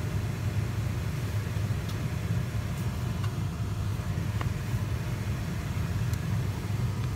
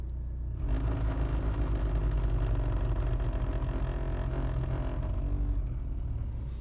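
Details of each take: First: BMW 3 Series heater blower motor, earlier squeaking and rattling worse over time, after removal, greasing and refitting, run on speed one: steady low hum, no squeak or rattle; bearings now quiet. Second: BMW 3 Series heater blower motor in the cabin: started squeaking and slowly got worse, now a heavy uneven rumbling clatter; rough-running blower motor, located under footwell cover, to be removed and repaired.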